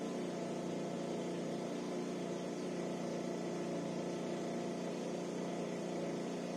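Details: SYM 50cc four-stroke scooter that would not start, after valve adjustment and carburetor cleaning; warmed up with idle adjusted, a quiet, even hum with a steady beat and no misses or knocks.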